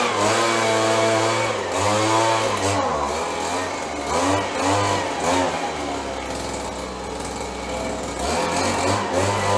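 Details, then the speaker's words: 30+ year old Stihl BG 72 two-stroke gas blower being revived: revs hunt up and down unevenly instead of holding steady; needs adjusting. Rough running. "Sounds like we need a little work here."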